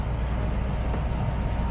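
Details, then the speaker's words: 2023+ Mercedes Sprinter 2.0L OM654 diesel after fuel filter cartridge replacement: steady low hum of the fuel pump heard from under the van while priming with ignition pressed twice, no surging or rattle; normal fuel pump priming. "And if you come under the vehicle, you can actually feel and hear the fuel pump running."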